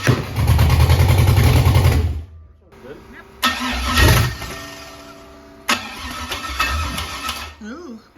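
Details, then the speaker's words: LS engine with carburettor and MSD 6014 LS ignition box: rough, uneven running with sharp loud pops, stumbling and cutting out, backfiring through the carburettor and exhaust as if timing is way off; a tuning issue, owner points to the MAP setting. "I've had an issue with it kind of popping back through the carburetor, backfiring really bad."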